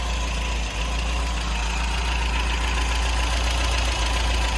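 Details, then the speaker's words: 1970 MGB GT four-cylinder, serviced engine with revised ignition and radiator, twin carburettors: steady even low rumble at idle, no misses or knocks; idles very well, normal. "tourne très bien ralenti"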